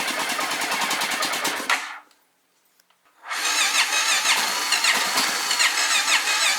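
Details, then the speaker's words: 1997 Honda XR650L, not running: the starter cranks it over freely and evenly, but it never fires even on full choke. Tank gas smells varnished and is low, the petcock has no filter and there is no inline filter; owner suspects fuel starvation or the carburetor. "it's got enough power to crank it over if everything was going right and you know the gas in the tank didn't really smell that bad"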